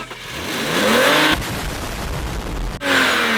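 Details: BMW E46 that would not start due to cylinder wash from low oil, fixed by adding oil to the cylinders with a syringe: catches quickly, revs smoothly and settles with no misfire or knock; normal start and rev.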